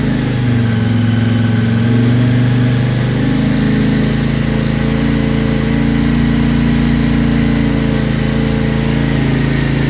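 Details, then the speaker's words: CFMOTO Ibex 450 single, warm, idling after TEAM MSC ECU tune for surging: even, steady low drone with no real hunting; tach still bounces slightly but sounds much smoother than before. "It does seem a little smoother. I mean, it looks like it's bouncing around on the tack a little more or a little bit still, but it definitely sounds a lot more uh sounds like it's not bouncing around near as bad."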